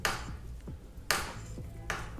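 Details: Rear derailleur clutch with 500–1,000 km ridden: sharp dry clicks and snaps about once a second as the cage moves, creaking instead of moving smoothly; worn clutch.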